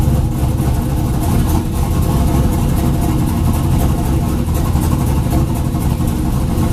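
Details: 2000 Chevrolet Camaro (F-body) with junkyard 5.3 LS V8, TH400, Huron Speed turbo kit and 1000cc injectors, after injector data was sorted, fuel reduced, throttle body opened and trans line fixed: fires straight away and settles into a strong, steady idle with clean revs, no misses or knocks.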